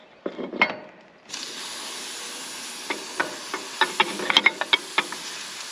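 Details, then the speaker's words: Railcar hose pressure bleed-off during teardown after an offload: a steady hiss as trapped pressure vents through the fitting, with metallic clinks of spanner wrench and couplings. It is normal bleed-off, and listening afterward checks whether the still-open valve leaks. "now that it's done we listen for just a second to see if you still hear hiss if you still hear it hiss because remember when this is still connected this valve is still on so if that thing were to be leaking we would hear it his"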